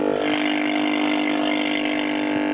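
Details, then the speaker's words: Likely 1960s Shaftesbury Japanese midget valve (tube) medium-wave radio from switch-on: a loud, constant low hum with a buzzy edge that never varies while it tries to tune stations. The failed dual smoothing capacitor can (150 working volts) lets mains ripple through and needs replacing. "as you can hear is trying to bring stations in but because of the the uh the capacitor failing it's um allowing Ripple to get through and uh causing quite a bit of noise"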